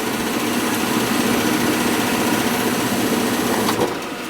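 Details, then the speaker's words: Gas furnace not heating, owner reports noise: the blower runs with an uneven, wavering whirr of about four pulses a second instead of a smooth spin; blower motor struggling. "Yeah, it's definitely running. Yeah. Hear the fan? Yeah, it's the fan."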